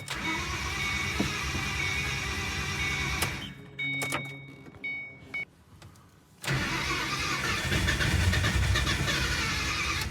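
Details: 2006 Mustang GT V8 after an engine rebuild, next-morning restart after running rich: long cranking that never catches, a pause, more cranking, no firing; heavy fuel smell, owner unsure if too rich or lean.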